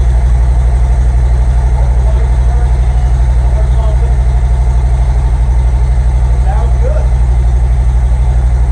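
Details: Harley-Davidson M8 V-twin started right after new spark plugs and plug wires were fitted, left to warm up: steady, even lope about two and a half beats per second, deep and smooth with no misses; a healthy idle.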